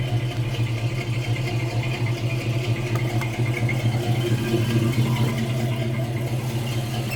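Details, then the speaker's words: Normal cranking on a 1969 El Camino not started in several weeks. The starter was fitted with no shims after a 1/8 inch armature-shaft-to-flexplate gap was measured, and the door was opened to hear better. An even, rhythmic churn at about two beats a second with no grinding or clicking. "Now, I'm going to open the door so maybe you can hear a little better. But there was no noise in that starter at all."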